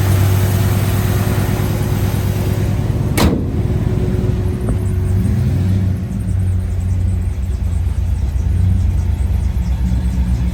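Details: 1955 Chevrolet Bel Air, 350 crate V8, 700R4 automatic, restored 6–8 years ago: deep, even rumble settling into steady idle after a sharp start transient, no tapping or misfire.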